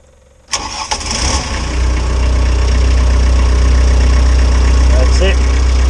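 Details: CAT 304 CR excavator diesel after fixing intermittent starter-motor wiring fault: quiet, then short crank and clean catch, settling straight into steady even idle; normal start after repair.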